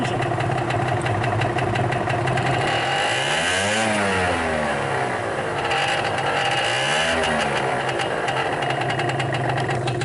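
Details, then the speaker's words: 2015 Vespa Primavera 50cc two-stroke scooter at about 600–700 km with no issues: busy, buzzy idle holding an even speed with no knocks or misses; normal idle. "For 600 kilometers, or almost 700, this thing has been running absolutely perfectly fine. I had no issues with it."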